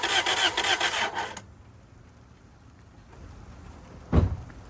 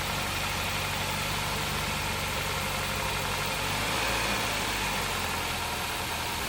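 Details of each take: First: 2003 Toyota Celica GT that sat about three years, oil topped up, on its first start attempt: the starter spins the engine steadily for about 1.5 seconds, it never catches and goes quiet. They suspect no fuel, possibly a bad fuel pump. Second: 2003 Toyota Celica GT with a 1ZZ engine, just revived after sitting: an even, settled idle with a steady exhaust pulse and no deep rhythmic knocking underneath. Some smoke is blamed on rodent debris; the engine idles healthily.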